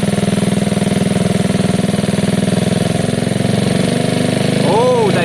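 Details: Gilera DNA 125cc scooter with upgraded carb, airbox-to-carb connector missing, idling as the air-fuel screw is backed out another half turn: steady, quick beat picking up slightly; idle rising toward its optimum setting.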